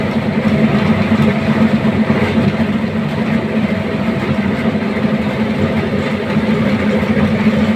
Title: Why is the AHU Motor Making Noise? #AHU #AHUMotor #MotorNoise #HVAC